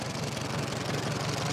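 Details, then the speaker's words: 1945 Farmall H tractor idling after running for the first time, oil pressure showing; the owner suspects the bad plug wires were the issue. Soft, even low putter with no knocks or misses; very quiet, normal idle. "that's it this thing is so quiet I didn't even think it was running you're joking I got oil pressure that is so quiet I honestly didn't not even believe that it was running at first"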